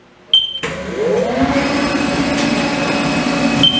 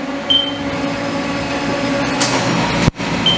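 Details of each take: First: Haas mill making its first part, decking the top of a 4140PH steel bar with a 4-flute end mill: a steady spindle whine under an even cutting hiss with a few light ticks, a clean cut. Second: Haas CNC milling 4140PH steel with 4-flute end mill, helical ramp widening a hole: steady high-pitched squeal over spindle and coolant roar, cutter rubbing instead of biting; screeching from too shallow a ramp angle.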